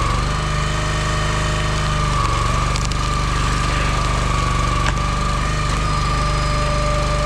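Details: Engine-driven log splitter with two-stage hydraulic pump splitting wood: steady engine drone drops lower about two seconds in as the pump shifts to its high-pressure second stage, then holds, normal.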